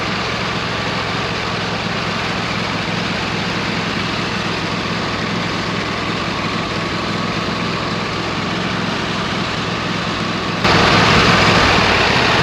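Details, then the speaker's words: 26 HP Kohler V-twin mower engine, previously misfiring/running on one cylinder, with two new ignition coils: even, steady running with regular beat on both cylinders, briefly picking up speed near end; runs cleanly. "okay sounds good it's time to put the cover back on the engine"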